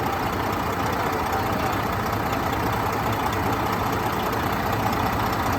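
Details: Truck diesel with about 600,000 miles, hood open in shop, checked for leaks (a drip seen); steady, rough-edged rumble at even idle over shop noise, no puffing or chuffing; engine sounds healthy at idle.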